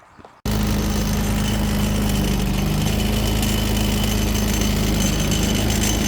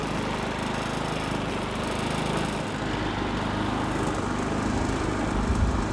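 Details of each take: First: Predator 3500W generator running: steady drone with a fast metallic rattle and faint ringing from the wheel locking mechanism's pin and plate, rattling the whole time the wheels are locked. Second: Predator 3500W portable generator after the wheel-lock fix (a plastic piece pinches the metal tight to the wheel): steady even hum with no rattling or ringing. Normal smooth running.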